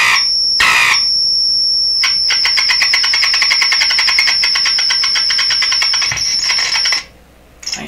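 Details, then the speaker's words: DeForest 10DA517 AM tube radio at full volume with glass tubes fitted instead of specified metal tubes: piercing high squeal with crackles and dropouts while wiggling, suspected intermittent connection at the radio output. "yeah radio is at full volume so I think I'm wiggling the output to I'm just making and breaking the output uh of the radio"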